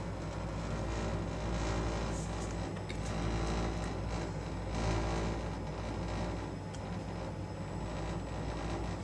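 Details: Baxi combi boiler run at 90 degrees, heard as the thermostat calls for heat: a heavy low droning rumble with an uneven shudder under the burner roar, the burner vibrating loudly; a new burner is due to replace it.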